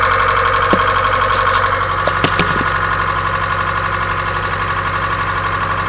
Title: 1994 Kia Sephia Engine Ticking Noise